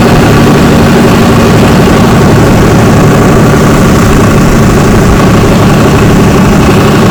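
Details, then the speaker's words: 2004 Ford Ranger FX4 4x4 4.0 V6, 275,000 miles, after coil and plug wire misfire fix: steady even idle, smooth low rumble, no stumble; faint accessory noise on top that owner suspects is the recently replaced AC compressor. "Make sure we don't have any more firing, but misfiring, but it's, boy, it sounds beautiful."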